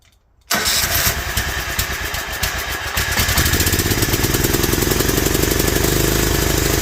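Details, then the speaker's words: Toro Wheel Horse 265 after checking the coil and fitting a different starter, choke on, full throttle: catches after a short crank, then runs lumpy and uneven like weak compression; internal fault suspected, later thought a corroded stuck valve. "that was really screwed up why did it act that way this thing's got something really wrong with it like there's got to be something internally messed up"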